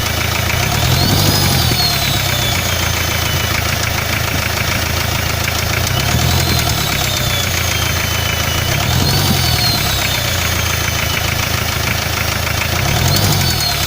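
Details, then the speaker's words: Hyundai 2.5 diesel at idle: quiet when cold, then a dull, uneven knock about three times a second over the clatter; removing the oil pan found spun bearing shells on the No. 3 connecting rod, attributed to turbo failure. "в итоге снял поддон в шатуне 3 го цилиндра провернуло вкладыши"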